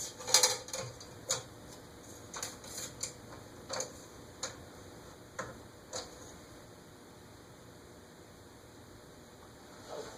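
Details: Eagle Grand Duchess ceiling fan (Eagle Fan Corp 2811), new in box, with blades fully extended: irregular light ticking about twice a second that comes from the motor, not the blades; a loose bearing was found, cause unconfirmed.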